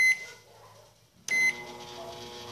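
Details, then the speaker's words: Microwave oven after repair started for a one-minute run heating a cup of water: a short beep, then a steady, even hum with no buzzing or arcing, as it heats normally. "que esquenta como é um minuto é pra sair praticamente fumaça da água acaba com um minuto ela já quase esquenta né"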